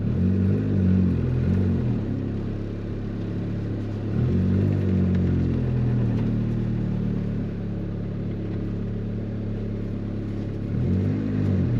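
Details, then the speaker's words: Built single-cam turbo Honda Civic, warmed up, on a 20 psi pull with DIY methanol injection through a single nozzle: it pulls smooth and strong with no surging, but the exhaust note wavers and flutters under acceleration, cause unknown. "I don't know if you guys can hear it, but it's doing this like it's not surging. It's actually pulling really smooth and really strong, but the exhaust sounds weird. Like it almost sounds like the exhaust is fluttering."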